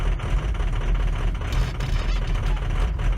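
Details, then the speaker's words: Ford F350 6.0L Powerstroke diesel, cold, before replacement with Ford reman injectors, held on the pedal or it dies: deep, lumpy, uneven beat with no steady rhythm. Rough cold idle from failing injectors; it runs well once warm. "So it's hard to really see how rough it runs if I let off my foot off the pedal. But you can hear it already. It's running rough. Once it warms up, it runs good"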